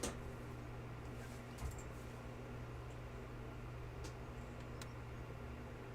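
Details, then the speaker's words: Apple HomePod powered up after opening it to check and correct amplifier DC offset: only a low steady hum over several seconds, no pops or clicks; repaired speaker now runs clean and quiet, popping fixed. "absolutely zero popping that time incredible"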